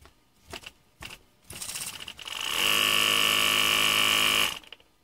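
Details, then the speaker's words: Ungar Hot VAC Model 4000 with its original pump element, which would not run: a few hesitant clicks, then a strained high whir as the motor barely turns the stiff pump; it runs only if given momentum. "so that's got the original pump element in there and so we'll turn this on in and you can see that it it tries to turn but it doesn't have enough force to overcome the"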